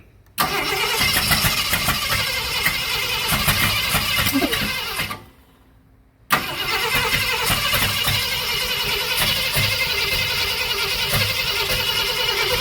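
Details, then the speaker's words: 1965 Ford Thunderbird under rebuild, first start attempts, oil pressure gauge not moving: cranking catches and coughs in uneven bursts, dies, cranks again and stutters without settling. Owner plans a timing light to set ignition timing. "Okay. Well, we got it to cough and sputter and stutter and fat a little bit."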